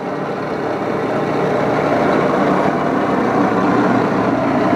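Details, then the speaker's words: 80-year-old Axelson lathe with needle bearings, heavy wide gears and a gear-reversing headstock, being oiled up: steady, even gear roar with no knocks or catches at constant speed; runs smoothly, normal. "Hey, got this thing running here. I don't know if you can hear it. I don't think it's too awful loud."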